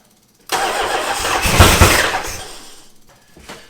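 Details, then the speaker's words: 1977 Dodge Monaco with a 360 V8, parked since 1989: the starter grinds the engine over with a rough, uneven churn that never catches. No fuel is reaching the carburetor and a stuck float is suspected. Crank, no start. "Why is there not fuel in the carbonator?"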